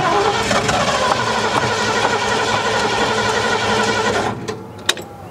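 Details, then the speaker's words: 1972 Ford F100, unrun over 10 years: steady cranking about four turns a second, never catches; owner thinks no fuel reaches the carburetor despite hose pressure, suspects accelerator pump or closed-off float bowls. "All right, we're just not getting fuel to the carburetor, I don't think. I can feel pressure in the hose, but we're just not getting any fuel in there."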